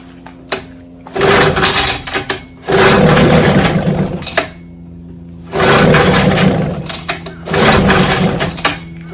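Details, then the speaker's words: Vintage two-stroke outboard (JV's motor, restored then repaired), Wednesday 5-minute run, fuel on, full throttle, started on fifth pull without priming, suggesting enough compression; buzzy bursts, even tone between throttle blips, no misfire, running normally. "All right. So, it ran five minutes. So, today we didn't have to prime. It started on the fifth pull."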